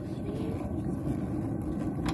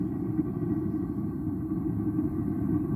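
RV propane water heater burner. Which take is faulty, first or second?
second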